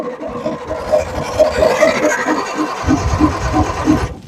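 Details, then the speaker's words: Perkins 6-cylinder diesel in a homemade RV on a 1966 GMC bus chassis, sitting about 30 years with old filters. Slow uneven cranking, a few ragged firings that catch briefly and die; throttle a little sticky; owner suspects air in the fuel lines. "dang that thing's firing ooh this throttle a little sticky we might have to lube that up all right here we go again it's trying dang like it's a matter of maybe some air in lines"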